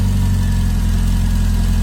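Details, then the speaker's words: Donor engine at idle after valve clearances, about half of which were too tight, were reset one at a time per the manual, ignition timing checked with a timing light: low steady even idle, no ticking; normal. "So I've redone them properly as per the manual, one at a time. And that sounds a hell of a lot better now."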